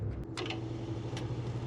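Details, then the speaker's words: TCI H4M40 4x4 forklift, motor first powered up after connecting hot and ground: low labouring hum with scraping crunches as the motor slowly forces itself through rust and frees up. "there we go we're going we're going here it crunching through the rust"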